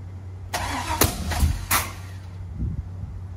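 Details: 1985 Camaro Z28, 5-speed, LS engine swap, first start: starter churns with three or four sharp irregular pops, never catches; backfiring misfire because coil leads were swapped.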